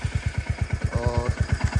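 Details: Royal Enfield Hunter 350 single-cylinder idling: steady thump about nine beats a second with faint light tick over it; suspected tappet noise, inlet clearance spec 0.8 mentioned, not confirmed.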